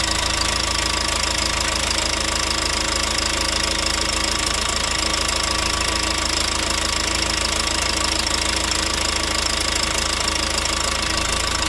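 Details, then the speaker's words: Rebuilt John Deere 4039DF diesel in a Pettibone telehandler, first start after cranking to prime the fuel: a loud, steady idle with a sharp, regular ticking puff about three times a second, an exhaust leak at an injector seal. "now I do have a little bit of a leak on one of the injectors where it goes in it's leaking exhaust right where the injector goes in"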